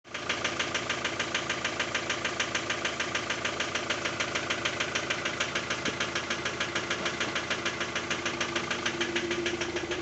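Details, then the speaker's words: Ford Transit 2.0 engine: sharp, very regular metallic knock at about three per second over idle, following engine rotation; origin unknown. "Он такой металлический, блядь. Хуй знает, что это такое."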